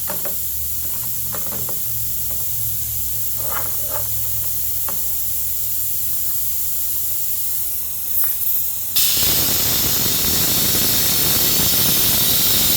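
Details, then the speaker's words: Shop compressed-air hose leaking while working on a Honda mower, fuel being drained: steady high-pitched hiss under some clatter, swelling louder near end. Air hose leak. "these Hondas or some of them NGK got this leaky air hose. So you guys get to listen to that just like I have to."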